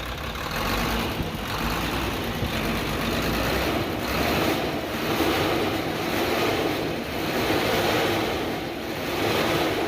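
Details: Hino truck HO7D diesel after repairing a broken piston liner that caused a sudden engine noise: revs rise and fall smoothly with each throttle blip, with no knock or clatter left. Normal revving.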